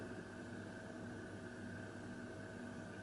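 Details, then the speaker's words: Moss Tropical Breeze spinner ceiling fan (JCPenney-sold) on a solid-state speed control at about 0.23–0.32: only a very faint steady low hum over room hiss, no rubbing or ticking, almost bedroom quiet; normal quiet motor hum. "I cannot hear it with anything else in this room the fridge is running but if I can't hear that this is like almost bedroom quiet 0.23 the very faint hum 0.28 0.32"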